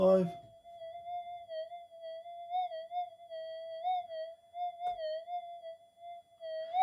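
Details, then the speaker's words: Brand-new stock Minelab GPX 5000 in Normal mode, at low-noise settings before input-stage redesign: noisy, wobbling, chirping threshold tone, considered fairly standard; a 0.05 test target gets lost in the noise. "but have a listen to the chirp it's a lot of noise coming through but anyway actually I think that noise is pretty standard"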